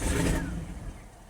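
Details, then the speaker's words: Lexus parked about 10 years: petrol engine catches with a strong burst instantly, then stalls within about a second; two codes stored, fuel pump heard priming again after each stall, owner doubts fuel pump. "The car starts right up and immediately dies. Instantly starts. Instantly dies."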